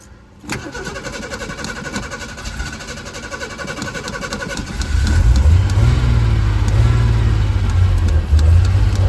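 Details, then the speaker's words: 1976 Ford Pinto cranks but won't start after dying repeatedly, choke zip-tied open, fuel in tank; steady starter churn about four beats a second, then a stumbling rumble never reaching idle. Ran on starting fluid; owner suspects burned-up fuel pump or disconnected pump wiring. "I don't know, boy, she might be dead. Well, I've suspected that either the pump has burned itself up or the wiring, wherever it is, has come unconnected or whatever."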